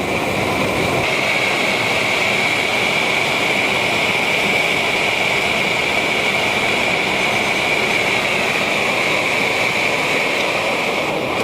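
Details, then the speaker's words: BRS-8 multi-fuel stove on an isobutane canister turned all the way up, during a boil test: even, steady roaring hiss with no sputter or pulsing; the burner is running cleanly on gas. "Turn up our isobutane all the way. It's burning pretty much fully on the butane now."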